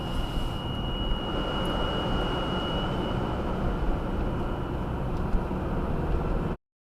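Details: 2018 Subaru Outback 2.5i Premium, 28K miles, first drive of the day at about 10°F: thin high-pitched squealing whine, RPM-dependent, at cold idle and under slow acceleration or steady speed, stops off throttle, absent under hard acceleration or deceleration; source not found.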